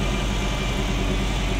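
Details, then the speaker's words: Ferrari Mondial V8 idling after the NGK plugs were cleaned and refitted: uneven, lumpy, choppy beat with missing pulses. Bank B (cylinders 5-8, nearest the firewall) reading jumps around and misfires. Timing is out; owner suspects a sensor. "So as you can see, B is not where it should be, it's jumping around all over the place. So it's that bank that's misfiring."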